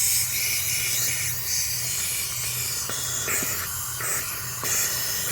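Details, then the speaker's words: Pool spa venturi air induction line, half-inch pipe broken; steady sharp air hiss changing as spot is covered. Finding: pipe leak hiss. "what's happening is that it's broken at that that that just that's just half inch pipe right there"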